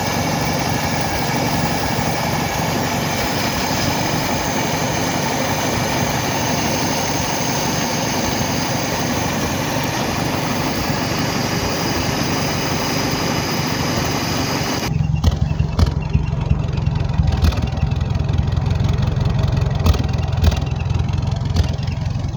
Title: still a slight misfire